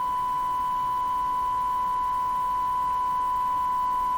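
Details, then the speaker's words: Eatons Universal Electrohome floorstanding tube radio, 1000 Hz tone from a signal generator fed into the IF amplifier at 455: tone has an audible warble, not pure; owner guesses it relates to cathodes tied to the chassis carrying heater current, unconfirmed. "so now now I hear a warble in this so this doesn't sound like a pure thousand Hertz tone to me"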